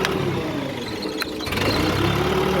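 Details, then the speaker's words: Diesel engine on a mobile screen machine running steadily and evenly with no knocks or misses after restarting following an emergency stop switch test; each emergency switch cuts the fuel shut-off solenoid to stop the engine. Normal running. "Shut down, again on. Now I check my other emergency switch. So I will push it, and my engine will try to stop. Engine stop."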